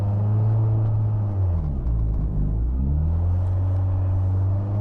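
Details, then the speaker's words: Highly modified 700HP 2004 Mitsubishi Lancer EVO VIII, 84K miles, warming up: idle holds high, dips and swings back up before settling; suspected bad idle air control valve and/or vacuum leak, popped-off vacuum line possible. "Man, that idle is crazy. Could be something as simple as a vacuum line that's popped off. Usually if you blip them, if it's idle air control, you can blip it and make it rethink its position"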